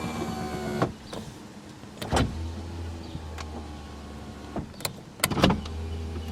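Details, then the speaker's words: 1987 Toyota Camry LE with power windows, engine off: two short motor runs with a steady low whir and a clunk at each end of travel. The power window is a bit noisy but works. "that one's a little noisy but just the same i'm not going to touch the mirrors"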